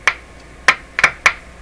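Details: Four sharp irregular crackling pops from a 1941 Electrohome Serenader 9A62-S two-band tube radio during voltage testing with the meter on the 500 V scale; cause not found.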